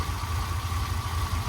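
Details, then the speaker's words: Ferrari V12 first start after sitting, new spark plugs and penetrating oil: deep, smooth, even idle burble with no stumble or misfire, smoke coming off the manifold; will likely still need a tune-up. "actually doesn't sound terrible I'm sure it's gonna need a tune-up but that thing is idling incredibly smooth"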